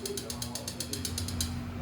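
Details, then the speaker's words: Renault Logan 1.6 8-valve engine running: sharp, even ticking about eight times a second over low hum from excessive valve clearance; adjusting the valves (due every 43,000 km) makes it quiet. "beleza pessoal você ligou seu carro um Renault 1.6 o válvulas ele tá fazendo esse barulho aqui"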